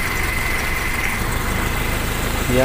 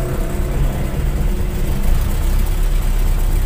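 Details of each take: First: Toyota Kijang Super engine that shook and ran roughly despite a cleaned carburetor and new spark plugs; CDI suspected but found not to be the cause. After the fix, an even, steady, smooth idle with no stumble; the sound is different. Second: Toyota Kijang Super engine that runs rough; carb was cleaned, plugs and plug wires replaced. Rough, uneven rumble that stumbles and nearly dies when throttle is opened. Plug leads are pulled one by one to find the cylinder: misfire, blamed on the spark plug wires.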